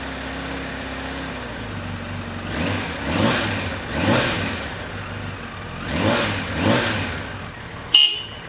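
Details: 1993 Kawasaki Concours, sat unlicensed for about two years, checked for hydrolock (none found): steady idle, then a handful of quick throttle blips climbing and falling back cleanly, no knock or misfire; healthy four.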